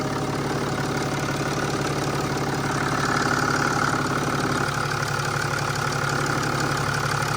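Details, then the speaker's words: Mercedes E320 CDI turbo diesel idling right after start, no leaks: steady, even diesel clatter with a smooth, unchanging beat and no misses or knocks; sounds really good, healthy idle. "all right fired right up okay sounds good sounds really good"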